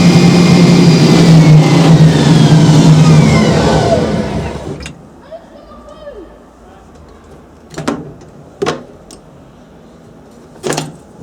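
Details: Hoover Spinarinse 3012A spin dryer from December 1968, test run after drain hose repaired with silicone, leaks slightly; motor whirs evenly and winds down with falling pitch, then a few clicks: normal spin.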